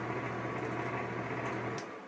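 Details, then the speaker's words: Exhaust fan: steady low hum with a slight rough buzz and light rattles; suspected loose part or shot bearings, not confirmed. "it sounds like something is loose or either the bearings are just shot"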